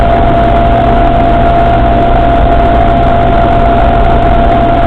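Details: Suzuki Samurai at idle; constant thin whine over the engine, unchanging throughout; strange noise from the transfer case, cause unclear.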